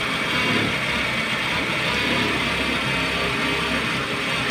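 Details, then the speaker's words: Honda Civic after spark plug replacement cured a misfire. At idle, disconnecting each cylinder one at a time makes the idle turn uneven and lose power, unlike before, so that cylinder fires again. Finding: rough idle with one cylinder disabled. "pag hinugot mo yung isa-isa nababawasan ang power hindi katulad kanina"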